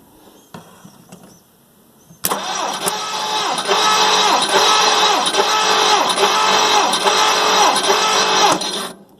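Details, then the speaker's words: 1958 Plymouth engine, rebuilt 1968, compression test on cylinder 5: steady, even starter cranking at about 200 beats a minute; reads 125, acceptable compression. "$125, that's acceptable."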